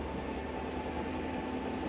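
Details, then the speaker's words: Flagstaff 8528BHSS travel trailer slide-out retracting, heard from inside: quiet, steady electric motor hum with constant tone and no grinding or catching, plus a normal end-of-travel noise as the slide stops itself; normal slide-out operation. "Nice and quiet too. When you hear that noise, it's okay to hear that. That's the slide telling itself not to go any further."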